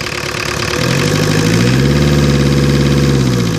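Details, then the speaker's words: 1985 Ford Escort diesel with a Mazda RF 2.0 engine, first start after 3 years, running on red diesel. Even clatter at about 3.5 beats a second swells slightly, then settles. Smooth, normal diesel idle. "listen to that man don't that sound somebody look at this smooth"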